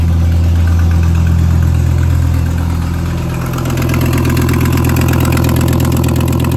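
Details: Volvo 850 T-5R with newly installed IPD exhaust, Japanifold, 16T turbo and angled downpipe, first start: deep steady idle with a faint regular ticking puff about three times a second, an exhaust leak at the manifold-to-turbo joint.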